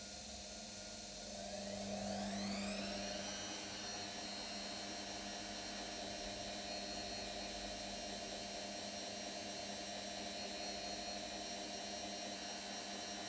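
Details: New brushed-motor washing machine during spin: whine climbs in pitch as the drum speeds up, then holds a steady high note; motor whine, owner thinks possibly because it's new.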